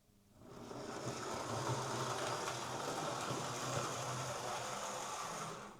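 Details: Old Hornby Class A4 Mallard model locomotive, after repair of a botched DCC conversion, final test with tender body refitted: steady, even whir from the small motor with no knocks or catches; runs smoothly and sounds healthy.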